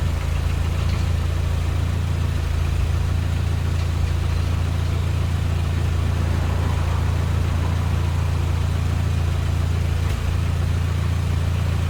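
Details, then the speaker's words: Ford GPW Jeep four-cylinder just restarted after head gasket and sump gasket replacement, skimmed head, thermostat removed: low, steady idle at about three pulses a second with good oil pressure, no tapping or misses; healthy running engine. "Let's fire it up. Really good oil pressure."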